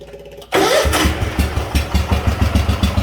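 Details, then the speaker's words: Wheel Horse garden tractor big-block Kohler with electric fuel pump (no return line) and new hard fuel line, in neutral on choke, pump primed: catches almost instantly into even thumping idle; normal cold start, smooths with a little gas. "And there's how it starts, cold. And you can tell it's cold because if I just give it a little bit of gas, it'll smooth out."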